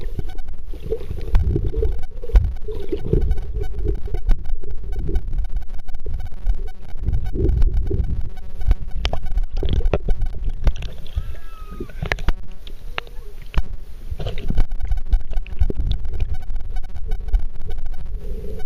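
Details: Kodak ZX5 Burton Edition camera recording: a low, steady buzz with a throbbing rumble under the whole recording, built into the camera's own audio.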